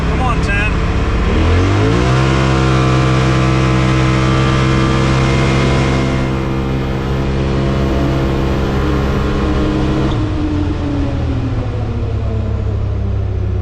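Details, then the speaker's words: 2021 Polaris RZR Pro XP Premium, 32" System 3 XTR 370 tires, on a run around the Aftermarket Assassins S3 clutch kit with high-load helix install: engine climbs fast, then holds flat around 8050–8150 rpm under throttle, not shifting right. CVT clutch mis-tuned, low rpm. "the first run yielded about 8050 to 8100 rpm maybe up to 81.50 a little bit low you can actually hear it um seems like it's not shifting right"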